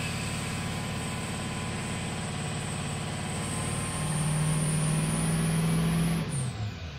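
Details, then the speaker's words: 2003 Ford F350 6.0 diesel, raised rpm: lumpy uneven pulse with cylinders 1, 3, 5 and 7 dead, engine barely running; combustion gas getting into the fuel system. "okay there we go now we have 1 five3 and seven of the engine barely running this is what it's doing"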